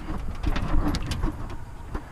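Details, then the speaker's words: Off-road truck damaged off-roading: passenger-side front inner fender broken, irregular sharp clacks, rattles and squeaks over engine rumble while driving, like loose sheet metal slapping; planned temporary fix is wedging something in, later welding. "so as you can see this noise has gotten pretty bad because of"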